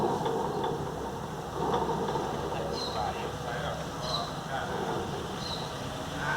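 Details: VW Beetle (Fusca) air-cooled engine running with light irregular metallic scrapes over the fan whoosh; the alternator fan is rubbing the engine shroud tin, worse at high rpm, shroud removed to fix.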